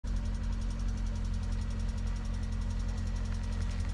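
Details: Lada Priora, VAZ 21126 engine, cold start in frost: light quick metallic tapping over the low idle hum, heard every morning until the engine warms; hydraulic lifter tapping on cold start.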